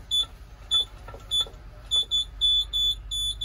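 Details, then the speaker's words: Auction 2006 truck in manual, key-on with engine off: uneven high-pitched beeping of a dash warning buzzer; cause unclear and it still goes into gear. "The fuck is it beeping? I don't like this."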